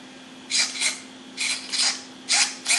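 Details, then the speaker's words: Losi short-course RC truck after a motor install and repairs, just powered on: three pairs of quick, high-pitched whirring bursts over a faint hum; the steering servo sweeps normally, with forward and reverse also working. "Well, that's a good sign. We got steering. We got forward. We got forward. We got reverse."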